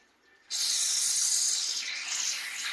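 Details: Copper water line after a suspected freeze leak, repaired with Sharkbite fittings, air bled at the highest tap in the house: a sudden hiss as air clears, then a steady rushing flow; line purged and water running normally.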